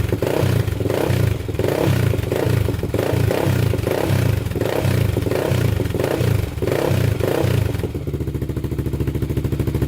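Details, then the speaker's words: Freshly rebuilt 1999 Honda 400EX single, started with choke after sitting two days, throttle blipped about twice a second for break-in, then a steady idle: revs cleanly with no knocks or rattles and no smoke. Normal idle and throttle response. "man that sounds good no smoke coming out the back so we're still good there sounds really good"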